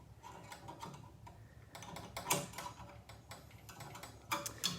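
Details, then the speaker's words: Nitro Ground Shaker pinball, in storage since about 1981, first power-up after a CPU replacement only, not set to free play. Light uneven clicks and a brief ratchety clatter as it credits up; coin mechanism and credit switches working. "that sounded like a credit to me so the credit switches are working"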